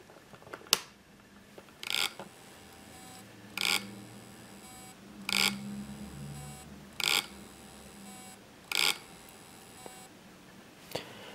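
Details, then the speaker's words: Opened hard disk with the head parked over the platter: short high-pitched chirps about every 1.7 seconds in a quiet room as the spindle tries but fails to spin; it spins when the head is moved off the disk. "you heard that noise it's the disc that tries to spin but it doesn't"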